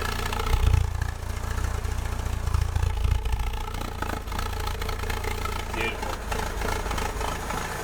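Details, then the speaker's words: Ford Escort Mk3 CVH engine with a new Weber carb, choke on, after a fresh exhaust was fitted: a low, even idle with a soft exhaust note and no blowing leaks. Exhaust sealed, normal idle. "yeah boys have you ever heard a CVH sound as quiet as that"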